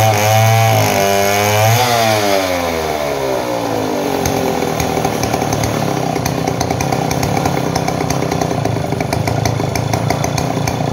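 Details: Model 070 two-stroke chainsaw, repaired after lacking power and backfiring: revs climb to a high buzzing pitch and stay there through the cut, pulling strong with no stumbling.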